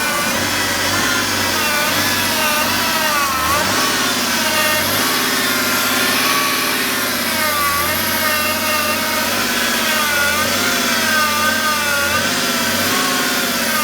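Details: 2009 BMW E60 535d diesel running, wavering whine and hiss rising and falling slightly with engine speed near the steering pump; source unidentified, suspected, not confirmed.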